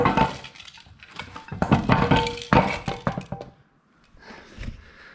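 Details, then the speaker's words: Nissan Skyline gearbox, car long sat rotting, rocked by hand on the ground: irregular metallic clinks and rattles from loose metal bits inside the casing. "there's a fair bit going on in there I think I'm going to pull this apart now and see what's inside"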